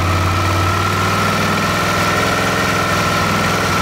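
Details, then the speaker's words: Suzuki DL650, which sneezes during warm-up and at small throttle: spraying the intake manifolds with Suprotec makes the idle lift within a second and hold higher, suggesting an air leak. A manifold swap followed. "вот собственно видно то что мотик отзывается на пролив q-breaks инором то есть там есть подсос воздуха смесь у нас обогащается в этот момент и оборота естественно вырастают"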